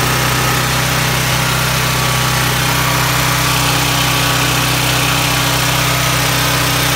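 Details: Duramax 12K generator on propane from a 100 lb tank, after the bad regulator was replaced and connections resealed with gas line tape: steady, even low hum with no misses or surging. Runs cleanly on propane.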